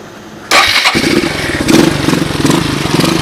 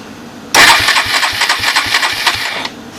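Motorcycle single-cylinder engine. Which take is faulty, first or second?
second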